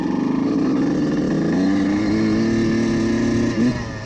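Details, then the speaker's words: Two-stroke CR125 at part throttle sounds burbly and uneven, stuttering and breaking up in the midrange instead of pulling cleanly; needle clip position set too rich. "vous pouvez entendre juste dans le milieu de gamme là, il est un peu de découpage qui est juste là où cette aiguille serait affectant"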